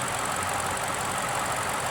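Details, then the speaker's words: 1994 Chevrolet Corvette, hurricane saltwater-flooded and rebuilt, now starting on its own after sitting six months: smooth, quiet V8 idle with a soft hiss and no knocks; engine runs great, only a transmission problem is suspected. "You listen to this thing, it runs great. Yeah. Seriously, this car runs great."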